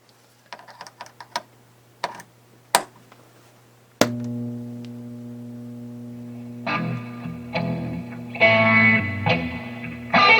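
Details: 1979 Fender Super Twin Reverb after input jack repair: clean, full guitar notes and chords come through strong with only faint hum; input jack number 1 working again, amp running normally.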